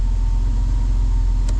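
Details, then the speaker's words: Old Toyota 4Runner after major engine repair for no compression on two cylinders: smooth, even low idle with no misses or hunting, having come down off high idle for the first time; normal idle. "That's the longest that it's ran without kind of going crazy. And also the idle has actually dropped on down now to where it's supposed to be."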